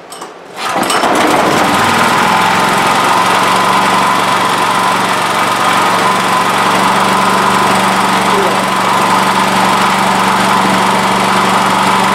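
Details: Honda generator that produced no power until a few parts including its regulator were taken off and refitted, now making 120 volts: a steady, even small-engine buzz at constant speed with no misses or knocks; normal running.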